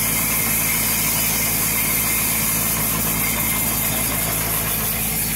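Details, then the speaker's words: Jacobsen/Toro reel mower backlapping with reels engaged in reverse, compound applied, engine throttle adjusted, reels adjusted for more bedknife contact: steady engine drone under even hissy rubbing from spinning reels; normal light reel-to-bedknife contact. "now i got nice contact when i start this up this reel is going to be screaming but it's not too tight but it's enough contact to get those blades nicely backlapped"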